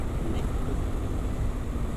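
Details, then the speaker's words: Voge DS800X Rally with new aftermarket exhaust, ridden on road under wind noise: deep low burble pulling smoothly, quieter than stock, no popping or rattles; normal exhaust note. "It's actually not as loud as the original exhaust, which is surprising. However, this is nice. Got a nice little deep burble to it."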